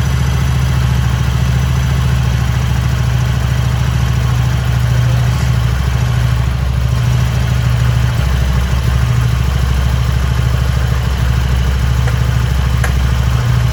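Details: Harley-Davidson Sportster after four months of cold-weather storage, started using a car/motorbike battery jump starter kit: steady even low V-twin lope at idle, no knocks or misses; healthy idle.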